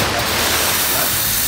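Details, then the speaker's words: La Marzocco GS3 MP espresso machine steam wand being purged of water before steaming milk: a loud, even, continuous hiss with no sputter; working normally. "So steaming always make sure that you flush the water from the steaming jet."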